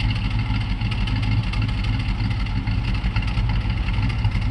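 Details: LT1 V8 at idle with a lumpy, loping stumble in the exhaust beat; misfire on the driver's side bank, which shows black sooty exhaust while the other side is fine.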